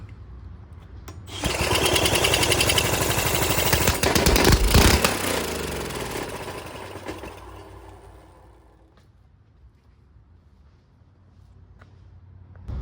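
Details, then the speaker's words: Small mini bike engine, apparently fire-damaged and rescued from scrap, spun over by a drill on what is thought to be a 19 mm socket after a shot of brake cleaner: a quick, even chuffing with no grinding, healthy cranking without firing. Carburetor to be cleaned next. "Alright, so as you heard, the motor does sound good, so let's hope, you know, let's try to clean this carburetor."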